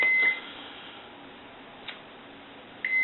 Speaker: I'm going to go ahead and check continuity it's there I'm going to release the switch